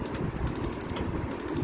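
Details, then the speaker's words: Gas stove auto igniter not sparking: rapid, sharp clicking about a dozen times a second with no whoosh of ignition; the igniter spark unit was faulty and was removed, after which it sparked. "এটাতে সমস্যা নাকি? ওখানে spark আসতেছে না?"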